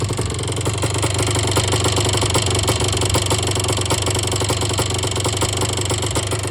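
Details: 1977 Yamaha IT250 two-stroke running raspy with a fast loose rattling knock, about three per second, over the exhaust; bad top end, piston slap suspected, possibly rod bearing play. Top-end knock.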